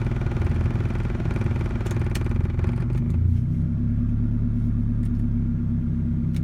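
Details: 1988 Toyota Camry, badly bogging with AC on: choppy, stumbling exhaust beat with irregular dropouts and some clatter at low revs; engine misfire, cause not yet found.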